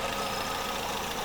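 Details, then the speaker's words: Audi A3 1.6 8L idling, engine on: continuous airy hiss of vacuum leak at broken cap on brake booster vacuum hose valve connection; brake pedal very hard, barely moves with engine running. "And right now the engine is on, and if I touch here, I don't know if you can hear it, but it's making escape noise."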